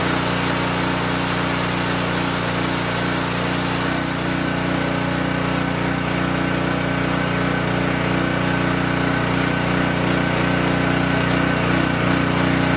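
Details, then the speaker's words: King Canada 3000 W (2,300 W running) generator after repair and new air filter setup, run before load test: steady, constant-pitch drone with no misses or surging throughout; running smoothly. "All right, now I think that ran pretty smooth."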